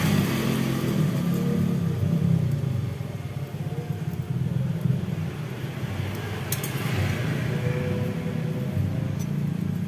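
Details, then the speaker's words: Honda Grand motorcycle engine idling with a rough, uneven clatter from a worn piston and a very thin cylinder liner that ticks when hot; it is to be bored oversize. "Hai ini suara kletek laptopmu kreatif ah Hai sumber suaranya ini dari Seher ya temen-temen Hai sehat sama rantai keteng"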